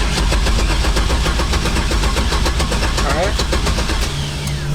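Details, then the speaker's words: 1972 Datsun 240Z with turbo 6.0 Chevy V8 swap replacing blown 4.8, first start attempt after rebuild: steady even starter cranking that never catches, then stops; crank-no-start, owner then spots a problem and reconnects something. "i'm gonna go ahead and see if we can crank it see where it's at and if i have to make any adjustments and then hopefully this thing fires up crank it"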